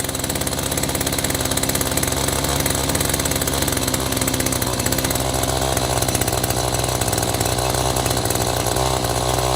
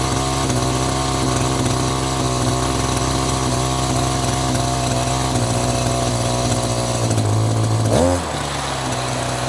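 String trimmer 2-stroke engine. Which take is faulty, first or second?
first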